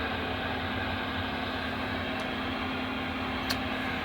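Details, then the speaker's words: U-Start starter capacitor (Ioxus/XS Power) entering a 16 A shallow charge cycle after a 300–400 A load, antenna on the unit: steady electronic hum and whine from the charge controller causing radio interference; shielding could fix it. "so that's what i was afraid of as the electronic control unit that's inside of this thing is susceptible it makes a little bit of noise which i'm sure we could fix that with just a little bit of shielding"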